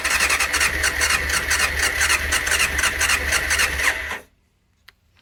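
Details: 1989 Honda CBR600 restoration, cleaned carbs, fuel primed, choke on: starter spins with rhythmic coughs then silence; engine tries to fire but won't catch, throttle seems to kill it, before it eventually starts.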